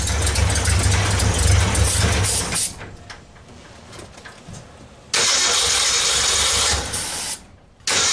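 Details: 1964 Ford Econoline van with a 170ci six and points ignition, previously crank-no-start. With the coil resistor bypassed and 12 volts fed straight to the coil, it catches and runs strongly, dips briefly, then picks back up to a steady run.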